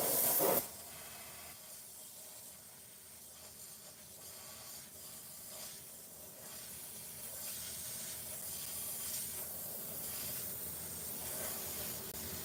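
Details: Tire valve leaking while a replacement core is tried: a sharp burst, then a continuous thin hiss held for seconds; the new core was then locked in against high pressure with a long tool.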